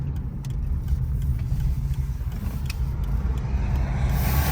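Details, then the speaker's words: Saturn driven on road after the outer CV axle boot was replaced: steady low road and drivetrain rumble with no rhythmic clicking; normal CV axle. "no clicky clacky everything Staying Together We rocking and rolling"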